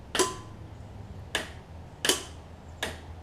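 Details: John Deere LX279 mower after rewiring the PTO to run through the headlight switch, ignition on: several sharp, crisp metallic clicks as the electric PTO clutch locks in cleanly, no grinding or chatter; normal engagement.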